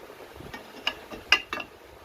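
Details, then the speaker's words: Ford Focus engine mount, worn, sloppy and collapsed, rocked by hand: about five sharp, irregular clacks and clunks. This is the vibration and harmonics heard inside the car. Finding: worn engine mount clunk. "anyway you hear that clunking well that's that's your your vibration that you will hear inside the car your harmonics right"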